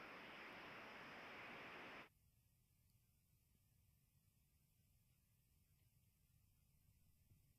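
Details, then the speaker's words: Brazed scrap refrigerant coil pressurized with nitrogen, heard through an ultrasonic leak detector's headphones: a loud, steady rushing hiss, then near silence; the leak is so large it distorts sound all around it. "that's what it sounds like with the headphones on it's such such a big leak that it uh it just distorts sound all around it"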